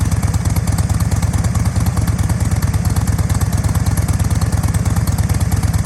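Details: 2007 Thunder Mountain Keystone Softail chopper, 103ci Screamin Eagle Harley engine, about 1,500-1,788 miles; a loud, steady potato-potato lope at about three beats a second, with no knocking or misfire, a healthy idle.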